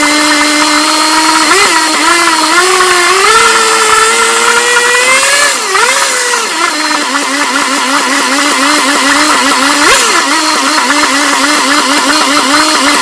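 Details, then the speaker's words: Johnson 10 HP QD-23 vintage outboard after a carburetor rebuild, needles starting at high speed 3/4 out and low speed 1-1/2 out, being turned in to tune: small two-stroke buzz dipping and rising, then settling into an even run; runs good. "man I'm telling you it's adjusted good watch it start so that's the car is rebuilt runs good"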